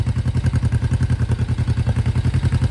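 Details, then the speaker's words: 1972 Honda CL350 twin after balancing both carburetors: even, steady exhaust pulses of about nine a second, no misses or hunting; hand over the exhaust ends feels equal pressure from both cylinders. Finding: normal, well-balanced idle. "All right, guys, I've got a nice steady idle. Feels like equal pressure coming out."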